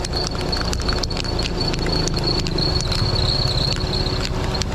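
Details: Myvi with a mouse-like squeak at morning start. A thin, steady, high squeak rides over the idling engine and persists even after spraying belt treatment on the running belt. Drive belt slipping and squealing.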